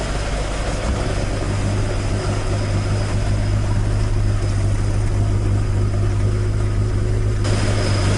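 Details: Toyota AE86 with 4AG engine after exhaust leak repair, stock exhaust sound: smooth even idle burble with steady low thump, no puffing or ticking; exhaust sealed and healthy.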